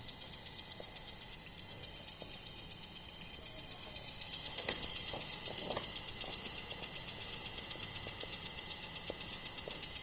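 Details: HP Pavilion 15 laptop stripped to bare-minimum motherboard attachments: thin, high-pitched electronic screech with a fast chirping pulse, about four a second, that persists.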